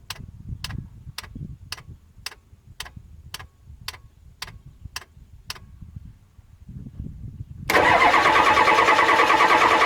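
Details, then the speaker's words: 1993 Ford 7.3 IDI diesel with an aftermarket turbo system that ran fine the day before. It cranks evenly at about three beats per second with no firing and won't start. It is smoking a little, so the owner believes it is getting fuel. "you know all of a sudden now it's just not one to start at all it's got fuel it's smoking a little bit so I'm pretty sure it's getting fuel"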